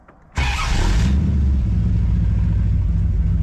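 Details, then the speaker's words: V8 in a $600 scrapyard beater, just after correcting crossed plug wires 3 and 4 that caused carburetor backfiring: engine catches and settles into a deep, steady, even rumble, all eight cylinders firing cleanly. "now this thing is so freaking mean sounding watch sis now it's running on all eight"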